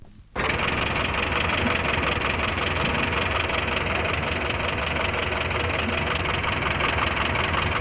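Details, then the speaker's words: Tappet clatter on a 1964-era car engine: fast, light ticking over the steady run from one tappet badly adjusted, left with too much valve clearance. "Tapets which clatter have been left with too much clearance. Here is the sound of one tapet badly adjusted."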